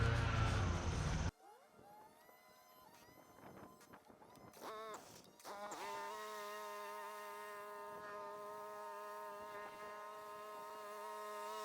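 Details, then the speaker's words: Cub Cadet GTX 2100 lawn tractor with front-drive PTO, mowing after replacing the broken PTO belt: a loud burst then a steady even hum with a high whine at constant pitch; blades turning, deck drive working normally. "I can't really see if the belt is working properly, but I can hear the blades turning."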